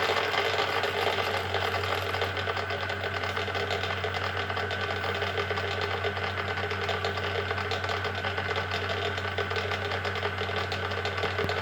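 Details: Schaublin 13 lathe gearbox run without oil with only the two rattling gears installed: fast, even mechanical gear rattle over a steady low hum.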